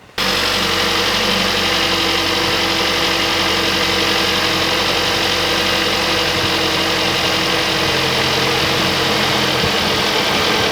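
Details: Kia Sportage after replacing both serpentine belts, belts checked seated and not rubbing: engine starts and holds a smooth, steady idle with no squeal or chirp.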